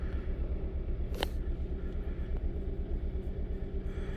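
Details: Kia Rio with 172,000 miles, previously had coils or plugs done: low, lumpy idle pulsing about twice a second with uneven beat and shaking; multi-cylinder misfire codes for cylinders 4 (current), 2 and 3, O2 signal stuck rich; piston ring problems suspected.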